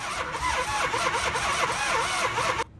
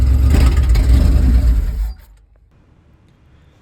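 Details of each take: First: 1978 Dodge van with 440 V8, sat 30 years, after oil pump, water pump and alternator replacement: fast, even starter churn under three seconds that cuts off without catching; cranks but won't fire, later needing new wires. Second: 1978 Dodge van with a 440 V8, sat 30 years, first start after a new oil pump, water pump and alternator, not yet on its tank fuel: catches and runs with a deep steady rumble for about two seconds, then shuts off; starts normally.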